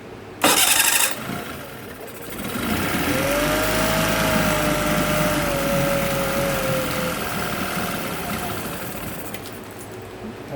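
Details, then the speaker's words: Yamaha T9.9 outboard, hard cold starting, cold start after fitting home-made knob choke over intake beside enrichment solenoid, water in bucket: catches almost at once after short crank, settles into steady even idle, no sputtering; fixed. "So engine's cold right now, bucket's got water, we've got fuel. We're gonna start it up, see what happens."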